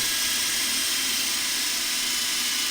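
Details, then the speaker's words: 1940 Delta T5074 repulsion induction motor after disassembly, cleaning and commutator cleaning, bench tested: kicks right up to speed, steady even hum with light brush noise on the commutator, barely a spark; runs smooth. "yeah I like it kicks right up to speed yeah it runs great barely even a little spark when it kicks in smooth makes a little bit of noise but you know the the brush is red on the commutator"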